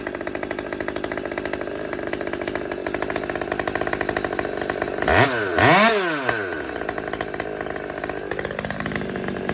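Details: Husqvarna T540xp Mark III chainsaw, about 6 months old with performance work, warmed up, kept shutting off: idle buzzes unevenly, hunts up in quick revs and sags; lean idle from a restricted fuel filter, auto-tune working overtime.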